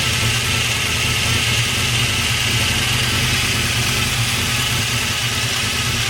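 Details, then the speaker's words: Freshly swapped 383 stroker V8 on first start after priming, idling with a busy, tinny, irregular clatter over the engine note; something is rattling, source not yet found. "oh all right it sounds like something's rattling I got to dig into that a little"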